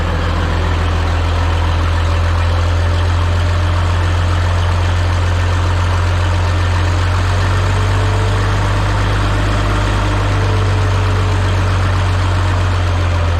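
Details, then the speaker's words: Minneapolis-Moline G950 propane tractor after manifold leak fix, new-old-stock muffler fitted, not fully warmed: deep, solid exhaust note at steady idle with no ticking or puffing from leaks; normal idle. "oh all right so the way the New Old Stock one sounds to me like it's got a nice deep uh sound to it um sounds just I don't know if solid is the way just got it doesn't sound tinty at all it's just a sounds like a big old propane tractor running"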